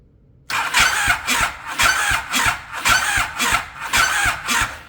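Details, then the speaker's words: Yamaha Raptor with a swapped 1050cc engine, cranked on a larger YFZ1000R battery: slow, laboured cranking with a screech on every turn, about two a second; a bad starter was suspected. "Hmm. That's a weird noise. He said I might need a starter, which he's he very well may be correct."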